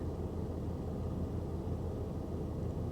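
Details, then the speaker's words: GMC Envoy XUV at a Copart lot idling: very slow, heavy low rumble with the tach just over 400 rpm, which seems too low (about 750 expected); a little throttle brings it to 750. "no no it's sitting at 400 just over 400 yeah she's sitting at just over 400 RPM guys that can't be right I would think it should be sitting around 750"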